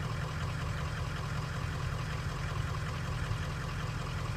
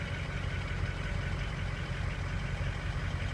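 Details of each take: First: 2003 Ford 6.0 Powerstroke diesel with suspected sticking injectors, hard starting: deep idle with an uneven stumbling intermittent miss, load reading rising to about 47-48%; cause not confirmed. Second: 2003 Ford 6.0 Powerstroke diesel with injector stiction and hard starting, during a Rev-X treatment test on a cool morning, just after the glow plug light goes out: a steady, smooth idle with no knocks or misses.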